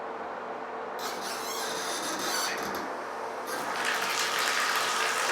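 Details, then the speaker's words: Bathroom shower control valve, leaking: water rushes on abruptly with a thin rasping squeak over the flow; suspected busted gasket in the valve cartridge, not confirmed. "there's actually like a gasket that gasket is probably busted that's why when you turn it on you hear that squeak"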